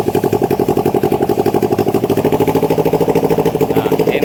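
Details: Kawasaki Ninja 250R after fuel flooding into the engine, running off a temporary bottle tank after sitting overnight with no flooding: twin idles with quick, steady exhaust pulses, about thirteen a second, without stumbling or dying. Normal idle.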